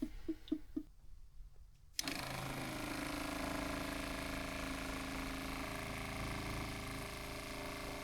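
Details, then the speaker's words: Newly fitted quieter replacement water pump in a Crusader caravan, after a priming problem fixed by refitting a fitting that drew air: a few taps, then a steady low hum with no rattle or surging. Pressure better than the old factory pump. Healthy pump. "Okay, I can hear the pump. Can't remember if it's any louder. Definitely doesn't sound annoying."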